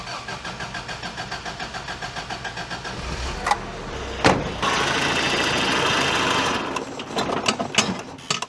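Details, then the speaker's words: Toyota 4Runner left sitting 10 years, after new plug wires and fuel filter; even cranking, brief catch and roar, then sags and dies; cranks but will not stay running, cause suspected, not confirmed. "So, once we do those two things, we'll try and see if it wants to stay running again."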